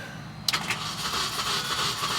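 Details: 2006 Mini Cooper S supercharged, after unplugging and replugging engine-related fuses/relays: short click then starter churns engine over steadily for two seconds but it never catches; crank, no start.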